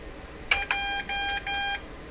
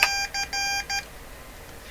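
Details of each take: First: Morse Writer keyboard thought to date from the mid-1970s (likely a kit) for ham transmitters, typing a first name: crisp high keyed tones in a few short Morse groups, then silence before the name finishes; it has no buffer, so fast typing cuts sending short. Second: Morse Writer keyboard, believed mid-1970s and possibly a kit, for ham radio transmitters: clean high-pitched tone bursts in short and long groups, steady in pitch. It is now sending characters such as H and J properly.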